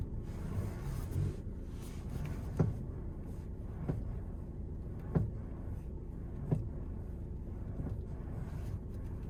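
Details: 2020 VW Tiguan Mk2 at idle: sharp pops about every second over a low rumble from the electric power steering, which the dealership found faulty and replaced under warranty.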